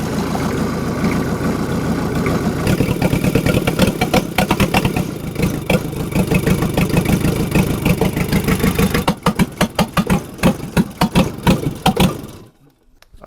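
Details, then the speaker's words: Rebuilt Yanmar 4TNE98 diesel, swapped into a Caterpillar 216 skidsteer, first test run: uneven, lumpy beat with pulses dropping out before dying; fuel lines not full, owner suspects it isn't sucking fuel, runs better when lines moved. Rough running. "I think it's not sucking fuel because I kind of moved it around and it was running better"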